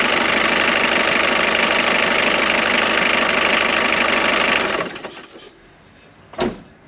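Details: Jeep Cherokee XJ 2.1 TD diesel on a temporary hose fuel feed: it clatters steadily for about five seconds with no stumbling, then is shut off and dies away. It runs fine, and the diesel return line is not blocked.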